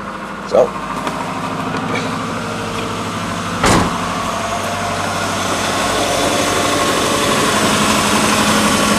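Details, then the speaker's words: 1990 Subaru Legacy wagon parts car, started in neutral from inside the car: after one brief bump the engine settles into a steady, even idle with no knocks or misses; normal idle. "bottles nice perfect idly"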